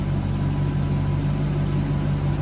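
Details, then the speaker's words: Toyota Soarer/Lexus SC400 1UZ-FE V8 during idle-control repair, ECU relearning with headlights on after starting: revs pick up then level into a smooth, even idle with no misses or hunting. Sounds healthy. "So it's now learning itself. So the ECU is basically picking up timing and everything else where everything is. So that sounds healthy."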